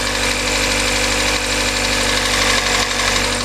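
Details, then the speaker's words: Kia Soul engine with internal knock, after adding Engine Restore, at operating temperature: rough idle, maybe a little quieter, but revving still shows a faint dull knock about three times a second under engine clatter; starting to smoke from exhaust. "It may be a little quieter at idle, but if I rev it up, you can still hear a faint knock to it."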